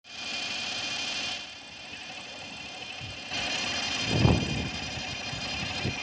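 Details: BMW N52 petrol engine running: a steady, high-pitched whine holding one pitch throughout; engine whine.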